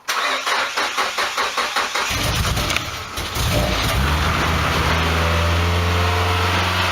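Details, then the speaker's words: Nissan Sunny/Pulsar restomod, not run for a while, cold start: about eight cranking beats, then it catches into a steady fast idle near 3,000 rpm with a loud exhaust. The self-learning ECU should bring it down to about 1,500. "the ECU, the self-loading ECU should take a while for it to pick up. Then it'll come down at now 3,000. So it should be around 1,500 on a cold start."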